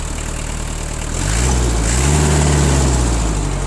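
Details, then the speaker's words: Kubota Saturn X-20 mini tractor, four-cylinder diesel, 955 engine hours, just after a cold start without glow plug preheat: an even, soft diesel clatter at idle that rises smoothly when the throttle is opened. The engine runs very evenly and smoothly. "Ну, трактор, думаю, слышно, мотор работает. Мотор работает очень и очень ровно."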